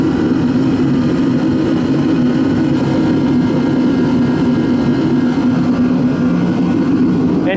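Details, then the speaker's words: Repaired ProCom Magnum 110VT turbo heater stepping up from lowest of five settings, after replacing a small seal: even unbroken roar as it speeds up, no puffing or surging, steady flame. "now if I go higher it's got five settings it'll speed up there it goes"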